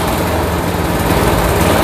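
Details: Old Craftsman walk-behind trimmer with Briggs & Stratton Quantum engine, after carburetor cleaning and drive cable replacement, throttle working: steady, lively drone with an even beat and no misses or surging under drive; normal running.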